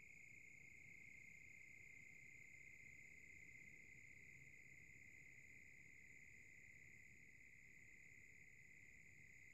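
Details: Silverstone SX-600 power supply (V1.0) fan slowing down: quiet, fast, uneven chirping rattle over a faint steady whine, lasting a long time; cause not identified.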